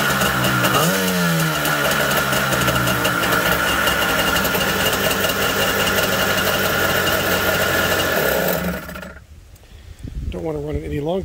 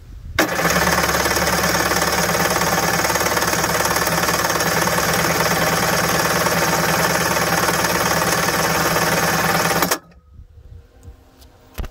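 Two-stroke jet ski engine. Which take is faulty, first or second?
second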